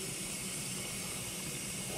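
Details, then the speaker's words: 3-year-old KitchenAid KDTE104ESS2 dishwasher after wash motor/circulation pump and heating element replacement, rinse cycle: steady, soft hiss of water running in, no knocking or humming; normal fill, no leaks. "okay we're filling with water that's a good sign you could probably hear it don't see any leaks"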